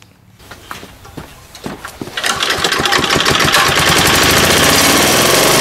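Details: 3.5 HP Tecumseh engine after tuning the main jet screw; the low-speed screw was left alone because the engine rarely idles. A few pulls, then it catches and holds a steady, crisp high-pitched run under load with no surging. Normal running under load.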